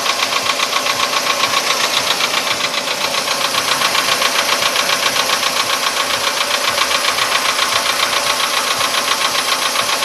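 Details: VW Polo Sedan engine at quiet idle, now 67,000 km: a sharp, even metallic knock about 220 per minute; it appeared faintly around 61–62,000 km and has sharply intensified; the cause is undetermined.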